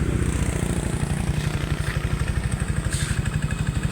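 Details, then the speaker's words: Yamaha Aerox 155 scooter idling after repair of a clattering engine noise, starting it to warm it up: smooth steady low thump with the rattle gone, though a slight noise remains. "ayan wala na pong tunog ng lato napaka po ngar po ng aerox po natin pero may konting ingay siya"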